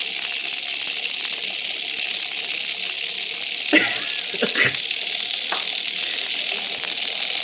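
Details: Tiny 1.5 V brushed motor kit overdriven at about 32 V, nearly 2 A: harsh hissing high-pitched buzz with crackly bursts over the motor's scream; brushes arcing from heavy overvoltage.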